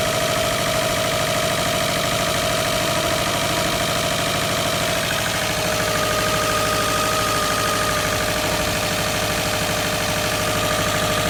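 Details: 2009 Subaru WRX idling: hard, rhythmic knock about three a second from a failed crank/rod bearing after the previous owner ran it low on oil.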